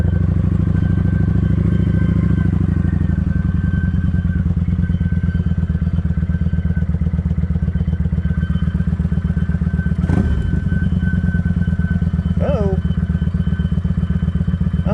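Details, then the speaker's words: Kawasaki Vulcan 900 motorcycle with a steady engine drone and a faint, constant high whine. The owner suspects the fuel pump filter is clogging again from a dirty fuel tank. "hope this fuel pump filter ain't trying to clog up again sound like it is"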